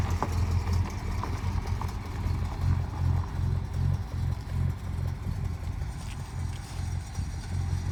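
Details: 1962 Dodge Custom 880, once said to have a cracked block, running after a carburetor prime: deep, steady low rumble with an even throb, no knocks, misses or rattles; owner doubts the block is cracked, runs really good, no longer smokes.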